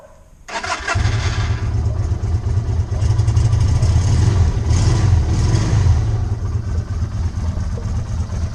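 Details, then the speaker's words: 2020 Izuka CL 250 motorcycle with 500 km, which jerked and stalled while riding from a fuel fault, after the screw fix: engine catches in under a second and holds a steady, even low beat; runs healthy. "entonces es una solución sencilla que nos quita no ya las ponemos como se escucha la motito ya encendida"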